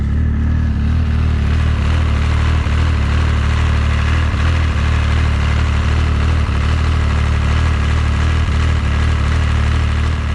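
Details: Arctic Cat ZR7000 snowmobile, 1049cc Yamaha engine, with new CVTech Powerbloc 80 clutch replacing worn Arctic Cat clutch: steady low idle with even beat and faint regular ticks, no clutch rattle or chatter; quiet healthy idle.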